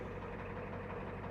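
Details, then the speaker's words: 1989 Ford F250 7.3 IDI diesel, just started after a battery replacement and glow plug cycling: steady, even diesel clatter at idle with no misses or surging; healthy idle. "You can't kill this thing, man. I just love this truck. I freaking love it."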